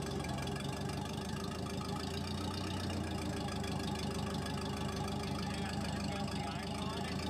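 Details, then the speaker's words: Case 450D dozer diesel with Roosa Master DBGFCC431-27AJ injection pump, first start after throttle linkage repair: very slow uneven chugging idle, nearly dying; idle speed set too low. "So I'll see if I can get the audio clip so you can just hear how bad the idle is the first time that I fire it up here."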